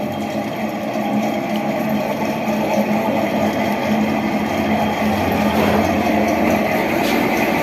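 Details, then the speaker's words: Window AC fan motor running, cooling otherwise fine; steady hum with a rough, gritty rumble and faint whirring, very loud because the motor's bearings are worn; motor then opened for bearing replacement. "क्योंकि इस motor के बेरेंगर खराब हो चुके हैं है इसलिए यह सांड देती है है और कॉलिंग द्वारा इसकी बिल्कुल ठीक है लेकिन बस प्रॉब्लम्स को यह है कि यह साउंड बहुत ज्यादा देती है"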